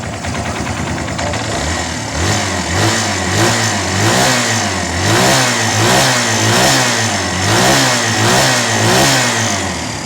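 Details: Barako 2 single-cylinder motorcycle idling and blipping evenly with no top-end ticking or rattle, after fixing timing chain side noise and resetting the tensioner.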